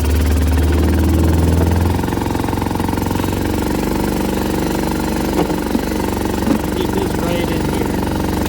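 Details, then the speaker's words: Used single-cylinder ATV from a multi-machine lot, oil low on sight glass: thumps evenly only with throttle held open, drops back unsteady; engine won't idle. "It's not going to idle. I get the gas off still."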